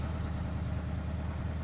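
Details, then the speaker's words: Old Ford F-150 dentside truck warmed to operating temperature, not running hot, after retiming and fitting a gear-reduction starter; it previously would not restart once warm. Deep, even V8 idle rumble with a steady beat, no pops or misses: normal. "so if you guys can see she's not running hot or anything but she's warmed up she's at operating temp"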